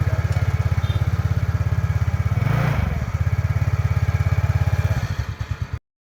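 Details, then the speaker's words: TVS Ntorq scooter after fixing a loud one-way (starter clutch) noise by properly tightening a nut: single-cylinder idles with steady even thump, no rattle, then shuts off cleanly; normal idle, noise fully gone. "जैसा कि यहां पे हमने जो है इसकी आवाज को जो है पूरी तरीके से बंद कर दिया है।"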